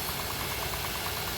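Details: 2011 Honda Pilot engine at idle, customer reports strange engine sounds and a bad smell: quick, regular, light tapping about ten times a second over a steady idle. Abnormal engine noise, source not yet pinned down.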